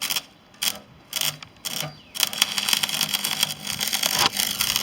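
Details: Parkside PESG 120 B3 stick arc welder during a test weld: harsh welding crackle in short bursts with silent gaps as the arc keeps dropping out; arc cutting out.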